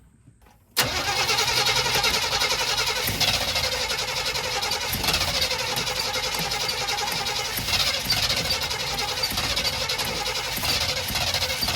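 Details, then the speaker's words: 1985 Chevy C20 that sat 10+ years, after a new mechanical fuel pump, siphoned tank, new inline filter and cleaned carburetor: it catches quickly but idles low and slightly hunting. "Nope, still idling low. Took it a minute for that fuel pump to get that gas to that carburetor."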